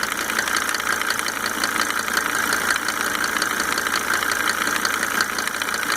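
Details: Mercedes 300D W124 2.5-liter diesel, just fitted with five newly rebuilt injectors with Monarch nozzles: a sharp, fairly even tick rides over the idle clatter; owner can't determine its cause.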